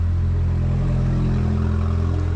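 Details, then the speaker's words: 2018 Porsche Macan, 47,000 km, sat unstarted two years, salvage rebuild: loud steady deep drone at idle just after first start, muffler removed. "c'è la marmitta, abbiamo rimosso la marmitta così funziona più agevolmente, ma puoi farla scorrere in avanti"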